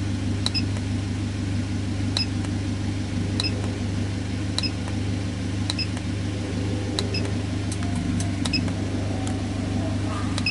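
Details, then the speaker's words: Idle of a 2010 Toyota Avanza with scanner data showing vehicle speed 0, battery 13.7 V and VVT 0.0°. Steady, smooth low hum with faint regular clicks, likely from the scanner, and no knocks or stumbles; normal idle. "Ini adalah data-data dari kondisi mobil Avanza ini saat putaran idle."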